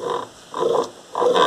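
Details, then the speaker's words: Washing machine during agitation while washing: croaking squeal that rises and falls in bursts about every 0.6 seconds with each stroke, sometimes faint then louder; washer squeal during agitation. "começa assim o chorinho né vamos ver se eu posso mostrar mais ou menos como que funciona esse chorinho com esse barulho esquisito que a máquina faz"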